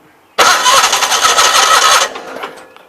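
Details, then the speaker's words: 816 tractor starts, runs ragged about 1.5 seconds, then fades and stalls; won't stay running. Fuel was spraying out the back of the fuel pump, which the owner plans to replace; link to the stall not confirmed. "Hold on, of course. Get the camera out. Won't stay running."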